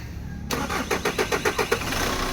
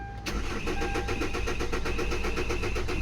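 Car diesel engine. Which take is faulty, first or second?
second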